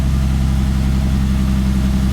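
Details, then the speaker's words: Freshly rebuilt forged turbo BMW M50 in an E30, first start after fixing all exhaust leaks, no muffler yet; owner suspects slightly rich mixture. Quiet, steady, deep idle with even low rumble, no misses or knocks: smooth normal idle. "damn, it's quiet, but it sounds good. Dude, I finally have no exhaust leaks. That's why it sounds like that."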